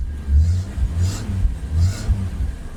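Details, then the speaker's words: AMC wagon engine warming up at idle after the correct radiator was fitted: deep, steady low rumble with even pulses and no knocks or ticks, running smooth like a sewing machine. "See guys, she runs like a little sewing machine. I'll tell you that much."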